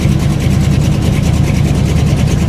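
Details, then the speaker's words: Buick engine started after sitting two weeks, cold idle lumpy and uneven with a definite miss, also when revved, and idling too fast; owner wonders about vapor lock; misfire at idle, cause not found. "if I rev it it's running but misfiring don't know if you can hear it but this definite miss there"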